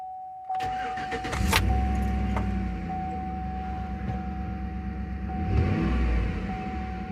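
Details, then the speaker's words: 2007-2014 Chevy (Tahoe/Silverado class, over 150,000 miles) first start after fuel system overhaul for a busted evap canister shedding charcoal pellets into lines and tank: brief crank, clean catch, steady even run with one rev blip; no leaks, believed fixed. "All right, we got her off the jack stands, off the ramp, and we're about to crank her up for the first time."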